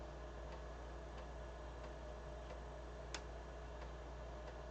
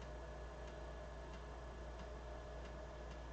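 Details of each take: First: BBC Micro floppy drive after cleaning suspect dirty heads: soft evenly spaced head clicks about every two-thirds of a second over steady motor hum, slight hesitation; reading normally, much better than before cleaning. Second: BBC Master Compact floppy drive reading a disc: sharp click about every two-thirds of a second over steady motor hum as the head retries track 0; drive stumbling, may need more attention, cause not confirmed.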